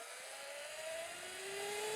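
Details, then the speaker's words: Sur Ron Light Bee running a QS165 motor on the NXT tuner, ridden on the street under hard throttle. The motor whine climbs with speed, then drops away abruptly as power cuts out. It runs fine if the motor is given time to spin up. "Oh, there it goes. Cut out. How did I know I was going to do that? I got on it too hard. When I can feel it, I can tell, like, when I feel it making a lot of power, oh, it's going to cut out."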